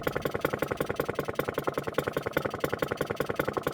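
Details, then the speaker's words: Vintage Atco kick-start mower with a Villiers Midget two-stroke, idling about as low as it goes before cutting out: slow, even pop-pop at roughly three and a half beats a second. Normal idle. "have a little listen to that pop pop there's not many lawn mowers nowadays that sound like that isn't that just a beautiful beautiful thing"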